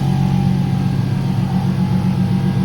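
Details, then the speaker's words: Nissan 370Z rear-mount single turbo, first start, cold idle, heard from outside: steady even idle with a constant mid-pitched whine from the turbo oil scavenge pump; inaudible inside the car; normal. "noise that you hear is the scavenge pump, obviously doing its job, scavenging the oil from the back. You can't actually hear it inside the car, so it sounds terrible from outside, but not a problem from inside."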